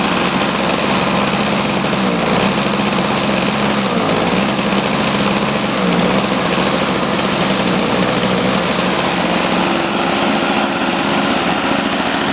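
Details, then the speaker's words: Toro CCR Powerlite single-stage snowblower, two-stroke, running after sitting outside at about 28°F; about 120 psi compression after a fuel system rebuild, new spark plug, intake gasket and primer line: steady even buzz and a clean, consistent idle with no misses or knocks. Normal. "he was running great no problem"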